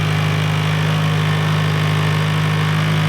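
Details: SR20-swapped Mazda MX-5 / Miata NC at the dyno after fitting a new sensor and setting ECU ignition timing to 0 at 0 on the crank pulley: steady, even idle with a firm low hum, no misses or knocks; normal idle.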